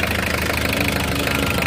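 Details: 1997 Mitsubishi L300 Versa Van diesel, which had hard starts and sudden stalling, after fuel pump assembly replacement: even, steady diesel clatter at a settled idle with no stumbling, hunting or dying; normal diesel idle.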